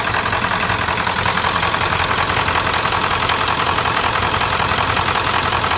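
Hard, regular knocking about 160 times a minute over a loud diesel idle, a rough clatter pointing to an injection-side knock. Cause suspected, not confirmed.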